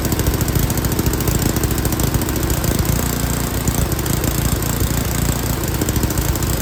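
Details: Yard King snowblower, full throttle, choke on; runs with a lumpy, stumbling beat and wandering speed while the carburetor high-speed mixture screw is adjusted; the mixture is off.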